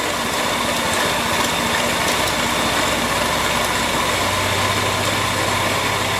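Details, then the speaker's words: Porsche 911 (996) Carrera 4S, idling, with a stethoscope on the belt drive: a constant dry whirring over the engine note that follows belt speed, with vibration felt by hand at the tensioner pulley. Worn belt tensioner pulley bearing. "I can actually feel the vibration through my hand so but slightly annoyingly it's actually the uh tensional pulley so I'm going to see how I can get that off and have a look at it"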